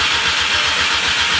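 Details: VW MK6 GTI with a replacement engine just installed: the starter cranks steadily at about six beats per second but the engine never catches; fuel smell noted, ECU swap planned.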